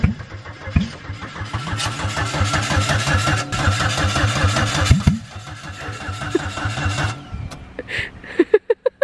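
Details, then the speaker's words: Car with the exhaust fallen off at the header runs loud and smoking, catching into a lumpy, stumbling idle with popping, missed beats. Owner notes it had been breaking up occasionally while daily-driven and suspects the detached exhaust is behind it. Misfire. "I basically floored it misfiring, did a peel up the driveway, and now it's here. So it's misfiring horribly, which I completely forgot about."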